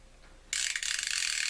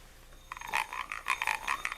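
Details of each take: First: Fishing reel on the repair-prep checklist, drag sticky but working, spool release fine: silence, then crisp rapid high-pitched clicking that starts abruptly and runs evenly; the bait clicker works properly and can be switched off. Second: Fishing reel with a working anti-reverse, handle wound backward: rapid raspy croaking bursts, six or seven a second. It winds smoothly forward; the reverse croak is the only known fault and may not be fixable.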